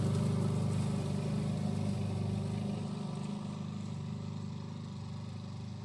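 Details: 1988 Alco push mower, Briggs and Stratton auto-choke engine, running again after a non-start repair (diaphragm, a common issue), mowing with the old blunt blade: even, settled beat fading as it moves off, smooth with no misses; normal running.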